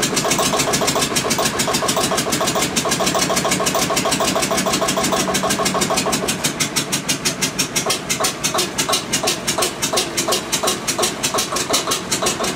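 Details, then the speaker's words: Witte single-cylinder diesel generator running after first start in 45 years, injection pump had been stuck, smoking: slow even chuffing about three beats a second; later shut down for no oil pressure, full of water. "well guys that was promising got it started we're getting a little action out of her"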